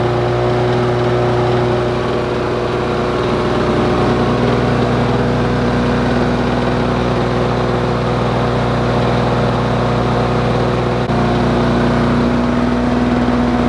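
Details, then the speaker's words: Lawn Boy two-stroke mower after adjusting the brass mixture screw, not yet hot or under load: steady, fairly brisk even drone with no hunting or misfire, no more big smoke clouds; may be slightly rich; sounds right. "it sounds a lot better than it did before and it's definitely running faster there's not big clouds of smoke coming out anymore and to me that sounds perfect"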